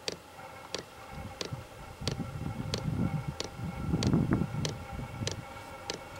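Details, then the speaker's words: First startup of a VEVOR 27,200 BTU diesel air heater on a mock-up bench with battery and tank: after a silent delay, the fuel pump starts ticking steadily at about 1.5 per second over a soft fan rumble, apparently once the glow plug heated. "there it goes now fuel pump's ticking in I think it was waiting for the glow plug to heat up"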